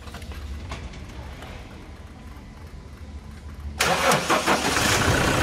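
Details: Toyota Hilux after a service with timing belt, decarbonization and manual gearbox oil change. Quiet lead-in, then a clean start settling straight into an even, steady idle with no rattles; it runs fine.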